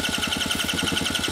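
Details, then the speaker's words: 1980s Honda Gyro sat 10+ years: rapid chuffing pulses about ten a second while cranking, catching only on sprayed carb cleaner; has spark, possible fuel starvation, owner suspects clogged tank strainer. "sputtering hey! it wants to run its got spark obviously so is it pulling the fuel I guess is the next question may have a clog strainer in the tank or something"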